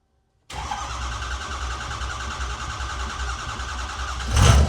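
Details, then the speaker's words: 2008 Ford E350 diesel van, first start after an engine rebuild, on a battery charger: cranking catches into a steady, rough rumble with even clatter. Oil pressure comes up; IPR is a little high from air in the system. "Oh, that's a thing of beauty right there. We got oil pressure."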